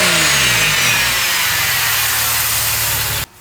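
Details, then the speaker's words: 2002 Porsche 996 after fitting a Spyder Performance valved (Valvetronic) sports exhaust in place of the previous owner's silencer delete; warmed up after a cold start, revved with valves open: sharp rev settling into a loud, clean, even roar, no rasp or drone. Healthy exhaust note. "wow that sounds absolutely fantastic when they're open it sounds better than it did when it was just straight through pipe now"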